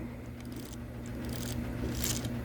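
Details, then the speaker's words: Lionel 226E prewar O gauge steam engine pancake motor after one drop of oil on the dry phenolic armature bushing: small electric motor hums low and even, vibration noise gone. "Now we're going to put just a drop of oil on this thing. That's it. Just one drop. A big drop. And now, voila. No more noise."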